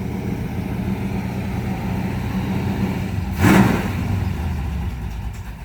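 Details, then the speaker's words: Race car V8 with an open motor, running on old gas: lumpy, strong burble with one sharp blip of revs that settles back cleanly; it won't idle on its own. Normal running. "I can't believe how well that thing runs."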